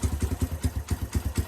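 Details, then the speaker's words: Lexmoto Street 125 single-cylinder, bought as a non-runner, idling only on choke: uneven putter that never settles. It bogs out and won't rev, and the fuel mixture won't adjust to steady running; the wrong carburettor is fitted. "some progress it's now idling it sounds crap it's only i'm drilling on the chalk which is not good"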